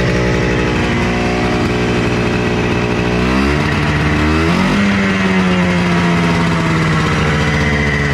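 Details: Honda FL250 440cc two-stroke, not yet tuned up: it blips up and sags back with a ragged, unsteady note at the top. It's running rough and needs tuning; cause not confirmed.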